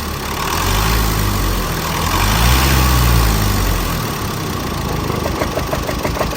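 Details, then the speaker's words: Chevrolet Colorado Z71 2.5 diesel, 5-speed manual, idling after running a while: rough uneven knocking with slight surge, faint internal rap from inside the engine attributed to faulty injectors. "มาแล้วนะครับมาแล้วนะ2ปัญหาของคันนี้นะมีเสียงดังอยู่ในเครื่องยนต์นะครับ"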